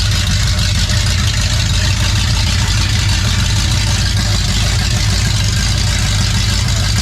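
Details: 28 Special crate 602 engine in a dirt late model race car, being readied with a suspected rear-end fluid leak still unfixed; deep, steady idle with no misses, surges or stumbles, running healthy.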